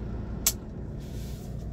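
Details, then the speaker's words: Mercedes 300SD W126 diesel after replacing the noisy auxiliary electric fan with an aftermarket unit: deep steady idle about 750–800 rpm in park, A/C off, electric fan running to bring temp down (about 85); normal idle. "it looks like it's probably running around 800 rpm but it's pretty solid the electric fan kicked in and it's doing its job trying to bring the temp back down"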